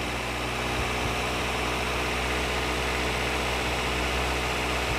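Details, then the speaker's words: Engine idling during an X-Tool PS2 scanner active test: even hum holding steady as load is added; rpm rises with the added load, showing normal idle control. "Kita lihat apa yang terjadi. RPM nya naik, teman-teman."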